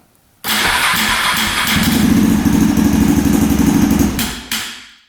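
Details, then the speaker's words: 2003 KTM SXC 625 Supermoto single-cylinder that won't run right, before repair, on choke with fuel turned on. It catches, runs a rough uneven idle for about 3.5 seconds, then dies. Starts then stalls. "Turn the gas to on. Let's see. And it dies."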